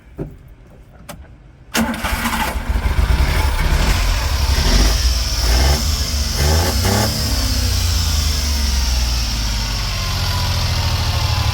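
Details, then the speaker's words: Daihatsu Hijet mini truck after its carburetor was cleaned, year-and-a-half-old fuel replaced and a new alternator belt fitted: brief cranking, then it catches quickly into a smooth, quiet idle with no odd noises. "It's good. No funny noises. And it's quiet."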